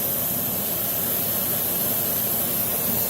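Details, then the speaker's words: 2005 Dodge Neon SRT-4 ACR, air pushed back into the tailpipe to find an exhaust leak: steady even hiss of escaping air in the engine bay with a vacuum-motor drone beneath; leak traced to a fitting at the rear. "what that's going to do is make the air come out in the engine bay and then you should be able to hear it and it actually worked really well"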